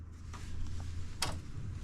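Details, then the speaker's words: Caged 1995 Subaru Impreza L with EJ20 engine, newly wired harness: faint steady electric hum with light ticks as the fuel pump runs with the key off; pump is cut by the park switch, and fuel arrives at the wrong time. "So we are getting fuel to the motor. We're just getting fuel to the motor at the wrong time."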